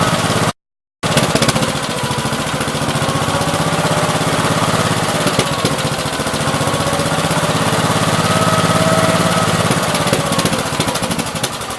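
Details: 1969 Gravely 432 with a rebuilt K321 14 hp single-cylinder engine and a new piston, running for about half an hour. Steady, evenly paced beat at one speed with no knock or tapping; healthy normal running. The owner suspects a weak fuel pump is causing poor fuel flow.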